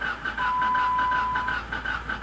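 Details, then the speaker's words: Salvage-auction car with 198,000 miles, cranking: uneven, lumpy rhythm over a steady fuel pump whine, seems to hit on only one cylinder and won't start; no compression, head gasket suspected, not confirmed; uneven cranking, no start. "that's no compression right there that sounds like no compression she's trying i hear the fuel pump but that sounds like the uh head gasket shot"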